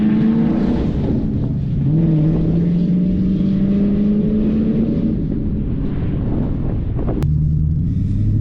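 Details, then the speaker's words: MG ZT 260 with Ford V8, running after new clutch, master and slave cylinders, rear silencers (back boxes) removed: deep loud boomy V8 burble rising and falling with revs. "it's running, it's got power, and in a minute you'll hear it without the back boxes on. It sounds amazing."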